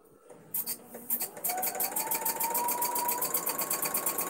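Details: Squeaky, dry-sounding domestic sewing machine during free-motion quilting: rapid even needle chatter about three strokes a second with a thin rising squeal on top; owner suspects it needs oil, cause unconfirmed.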